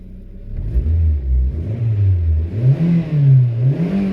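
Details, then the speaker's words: Suzuki SX4, 2 L four-cylinder with 5-speed manual, about 251,000 miles: clean rev rising and falling smoothly, no knocks, rattles or misfires; healthy engine. "oh my God that sounds beautiful overall I mean it's a pretty nice car for for what I got it for"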